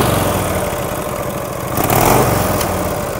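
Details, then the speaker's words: 1949 Harley-Davidson FL Panhead V-twin, cold start: loose, uneven idle with light ticking over the beat. Dry valve train tapping from the rear cylinder, apparently solid lifters; it starts to fade as oil reaches the top end. "but again that was a cold start a little bit of tapping noise out of the rear cylinder"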